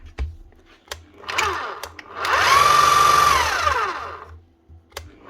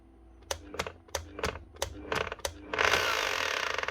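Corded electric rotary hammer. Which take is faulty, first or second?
second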